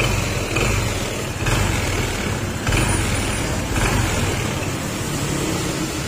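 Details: Honda PCX160 at about 7,000 km, CVT never cleaned: loud rough drone with heavy low rumble, uneven surges and vibration, sounding like a connecting rod knock but caused by a dirty, dragging CVT clutch; fix is cleaning.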